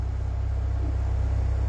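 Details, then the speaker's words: Ecotec LNF engine swapped into 1972 Triumph GT6, first start after rough cranking: steady, even low rumble at about 950 rpm idle with regular firing pulses, no misses or knocks. "she sounds like she's idling okay 950 rpms i'll give it a little bit of gas just to see what happens"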